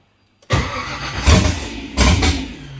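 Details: Nissan 240SX with LS (LM4) swap, first start attempt, no throttle bracket yet, 43 psi fuel pressure, oil pressure present: starter cranks in short bursts, engine coughs and flares twice but won't run; seems to need more throttle, not confirmed.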